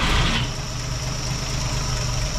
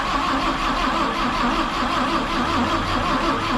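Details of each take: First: 1958 Chevrolet Apache that had sat for a while, after ignition timing was set, running with the valve cover off on a chilly morning: steady even idle with light fast rocker ticking, no knocks or misses; normal idle. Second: 1958 Chevrolet Apache long sitting, after new rotor, cap and plug wires and a couple of pedal pumps, starter churns about three turns a second for four seconds with no firing; cranks but won't start; a broken wire may be grounding out.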